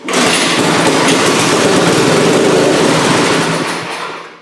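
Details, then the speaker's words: Scrap snowblower small engine on starting fluid: bursts into a fast, rattly run for a few seconds then dies; owner plans to clean the carburetor and check the tank for a hole. "Oh, that was easy. Guess I'll clean the carburetor and make sure the tank doesn't have a hole in it, and then maybe it'll run."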